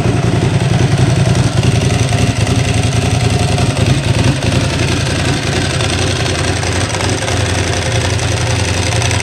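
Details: Ducati Hypermotard 1100 S just restarted after a four-year rebuild, oil freshly topped up: steady, lumpy twin idle with a dry metallic rattle on top throughout; normal idle, the rattle being the Ducati dry clutch ("bag of spanners").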